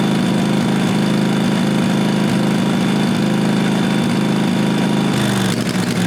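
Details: 1998 Briggs & Stratton Vanguard 16HP horizontal-shaft V-twin (model 303447) after fitting a working used fuel pump; steady, even idle with smooth regular exhaust beat, no misses or knocks. Normal running.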